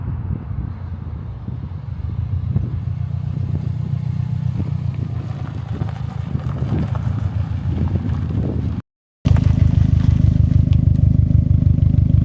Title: 2014 Subaru WRX STI Return From Drive (normal sound clip)